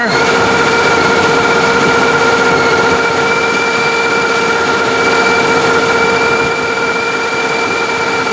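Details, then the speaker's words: OBS 454 truck with ProCharger kit, warm, after fitting a longer accessory belt (replacing the 113-inch one) so the smog air pump runs: steady engine with constant supercharger whine, no squeal at startup; owner notes low alternator voltage. "no squealing off the bat seems to be running everything"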